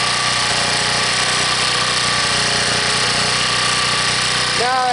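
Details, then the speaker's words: Harbor Freight 1800-watt generator after a cold start at 15 below, now warmed up, off choke and before half load: smooth, even drone with no surging or hunting; normal idle. "as you hear, it's not hunting anymore. So, it's warmed up. It's not on the choke anymore."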